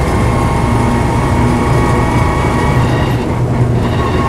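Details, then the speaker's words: Land Rover Series III 88in petrol Safari on a test drive with overdrive engaged: steady road roar with a faint constant whine, the usual slightly whiny, noisy overdrive. It is normal, and the gearbox shows no jumping out of gear or synchro problems. "Try the overdrive. Usual slightly whiny, noisy overdrive."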